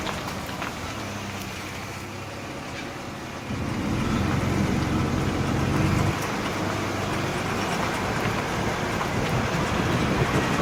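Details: 2003 Ford E150 V6: engine note rises partway through, with a fast tinny rattle from a loose exhaust heat shield plus an unexplained knocking about four times a second.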